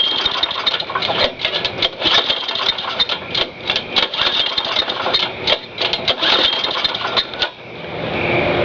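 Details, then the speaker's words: Lawn mower small engine after reassembly, run at half throttle: uneven sputtering bursts that never settle, stumbling and missing; spark plug found fouled. "found one thing that just went wrong spark plug fouled"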